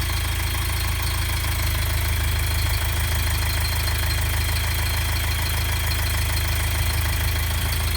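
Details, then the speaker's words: 1990 Toyota Pickup 22RE, rebuilt with LCE head and ceramic pistons, first start after rebuild, timing being set, smells a little hot: even steady smooth idle rumble, no knocks or ticks; healthy. "All right. Well, that was a good initial first start, I think. Obviously, there's a lot of stuff going on."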